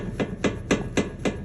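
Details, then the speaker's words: Sharp, even clunks at about four per second as the steering linkage under the car is rocked; the tie rod ends are quite loose on both sides, a loose tie rod end clunk. "अगर गाड़ी के नीचे से आवाज आ रही है तो सबसे पहले ये एंड चेक करें जो कंघी के अंदर लगे हैं आगे यह देखें ये लूज है काफी ज्यादा आवाज कर रहे हैं"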